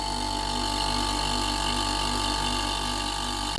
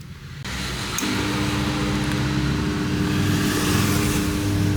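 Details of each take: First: Whirlpool 8 kg dryer compressor, belt and motor removed: starts and runs with a steady, even hum and whirr, no rattle or rub. A tube vibrating and rubbing had been moved away earlier. Compressor running normally. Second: Whirlpool 8 kg dryer: start click then steady low hum with faint buzz; power reaches the compressor but it won't start and goes into protection, start capacitor failed and needs replacing.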